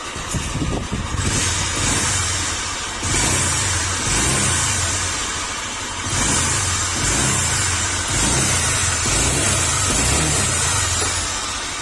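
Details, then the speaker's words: Honda Click 125 scooter, 19,336 km: rough gritty grinding under the engine note, like corn being milled inside, swelling and easing with each throttle blip; worn crankshaft bearing, fix is replacing the crankshaft bearing only. "Ang problema nito, ayan. Parang may ginigiling. Parang may ginigiling na mais sa loob ng makina at na parang tunog big bike."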